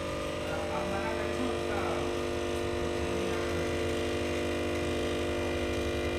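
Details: Voltage stabilizer with an abnormal transformer hum: a steady, loud electrical hum with a buzzy edge that never changes pitch.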